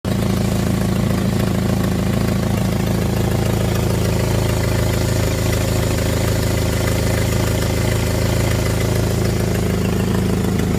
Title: Jeep engine with exhaust leak